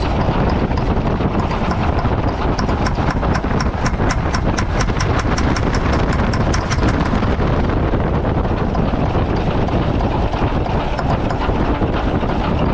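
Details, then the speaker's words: Mack tank truck, about a 1995 model with 122,000 on the odometer, started without ether. Loud diesel clatter with a quick, even ticking knock for a few seconds, then settling; the knock is much milder than with ether. One injector appears not to be pumping fuel. "See, that's so much better than ether. It doesn't knock that hard. I mean, it's knocking there a little bit, but it's not like ether."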